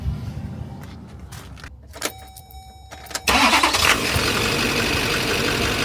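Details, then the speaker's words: Duramax 6.6 diesel truck that came in hunting, surging and struggling to idle with MAF circuit codes; with the mass airflow sensor unplugged it cranks, catches after about three seconds on base fuel mapping and settles to an even idle. "There we go. So it's that simple. Simply disconnect the sensor and now you're going to be able to idle."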